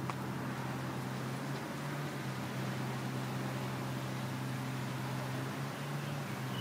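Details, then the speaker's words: Home AC condenser unit after replacing bulging run capacitor that stopped the fan: low steady compressor hum with fan running evenly, no clicking or rattling; running normally after repair. "units so as you can see everything is running um you can hear the compressor and the fan come on of course"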